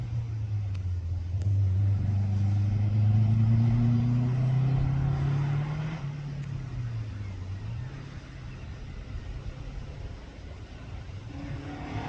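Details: Toyota Starlet hotrod on slicks at a Curborough Sprint session, after chassis welds were repaired and fuel and ignition gremlins sorted: strong, clean pull, pitch climbing then easing off, no misses or popping, engine running right under load.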